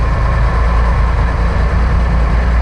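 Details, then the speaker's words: Old Lull forklift not driven in years, started after filing the points, cleaning the carb and replacing the clogged fuel filter (the actual problem): a strong, steady low rumble with no misses, a normal healthy idle. "I don't think this thing's ever run that good."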